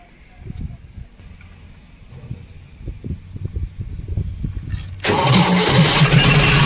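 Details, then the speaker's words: Cement bulker diesel after the starter motor's bad internal connection was resoldered and the motor refitted with its battery cable: steady cranking pulses about three per second, then it catches cleanly into a smooth, even idle; normal start. "देखिए माशाल्लाह सही हो गया। इंशाल्लाह सही हो गया।"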